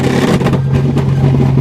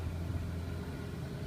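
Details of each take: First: 1980 Chevy LUV truck, long unused, running a replacement carburetor; runs fine until throttle pulled, then revs stumble and cut out at high rpm; owner suspects jets too lean, possibly timing, plans to clean and refit original carburetor; engine cutting out at high rpm. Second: 1980 Chevy Luv truck, long unused and revived: ignition timing was found at about 22–24 degrees advance against a 6-degree spec and backed off to about 12. It now idles smoothly with a low, even rumble and no misses or hunting.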